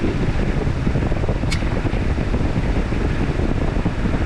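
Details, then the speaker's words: 2009 Chevy Equinox with the key out of the ignition: a steady radiator fan roar with no engine running, the fan running on its own. "Oh, look at that, fan is turning on. I don't know why. Look at, key is not in the ignition switch. but you can hear the fan is turning on."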